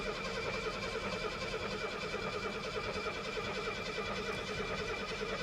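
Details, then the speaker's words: 1972 Mercedes 250 that had sat at auction for months, over a quarter tank of gas: quiet, slightly uneven cranking that never catches, oil pressure building but no fuel pump heard; crank no start, no fuel reaching it. "yeah there's just no gas getting to her we're building oil pressure though"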